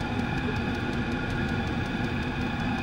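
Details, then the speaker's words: Chinese diesel garage heater on high after cleaning out to cure fuel-related error codes E08 and E10, possibly a fuel cap venting problem; steady, even roar with constant whirring fan, no surging or knocking, exhaust clear and odorless. Running perfectly. "but I got that heater cleaned out and it's running perfectly"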